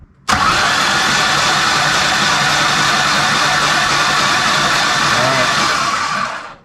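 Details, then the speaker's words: Rebuilt Ford Ranger 4.0 engine cranking with the spark plugs out after a backfire pop on first start: an even, fast whirring for about six seconds with no knocks or scrapes; normal cranking. The plugs were fuel-wet with soot. "yeah seems totally normal everything's operating fine no weird sounds"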